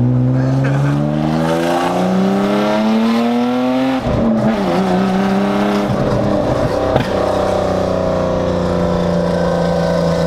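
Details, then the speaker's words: BMW E36 with swapped M52 six-cylinder and no proper exhaust, driving on the street: loud, raspy engine climbing smoothly through the revs, then settling and pulling again; no misfire or overheating — loud exhaust, normal running. "I don't know man it works though huh it works very good she's just a tad loud"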